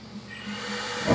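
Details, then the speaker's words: Mid-1970s boiler with the flame guard removed, after replacing the leaking GE circulator pump with a Taco: soft hiss builds into a steady whoosh and low roar as the flame lights; burner fires normally. "and just for those of you who would like to see the burner I will fire that for you"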